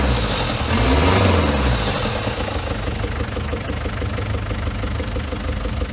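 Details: Daihatsu Fourtrak pickup, swapped-in replacement engine after head gasket failure, restarted after fixing a loose oil leak; settles into steady even idle with regular beat, no knocks or rattles; sounds healthy.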